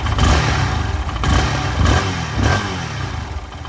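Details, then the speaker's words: Lifan KPR 200 motorcycle, half warm on a cold day, after adjusting the idle air bypass ("gulp") valve that had let it die when blipped from idle: short throttle blips rise and fall cleanly without stumbling. Normal throttle response. "seems to have improved the throttle response as well"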